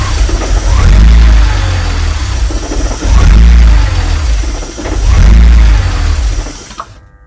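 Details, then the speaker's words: BMW E46 330ci, fuel pressure 53 psi at the rail so fuel ruled out: engine catches and surges about every two seconds, three times, sagging between, then stalls; idle control valve suspected sticking, later fixed. "Yeah, so it's not fixed. So I think we can rule out the fuel, because there's plenty of fuel pressure. Don't know, this is the idle valve."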